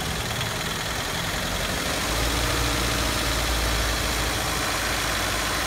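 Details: Idle with one non-functional fuel injector: an uneven lope about four beats a second that misses more when given gas. The dead injector causes the misfire, and the emission readings differ from an ignition misfire.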